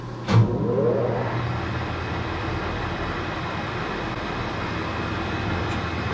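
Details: Trackless snow blower: a rough, uneven drone, with an irregular rattle underneath, as it spins. The auger drive involute coupling's splines are stripped.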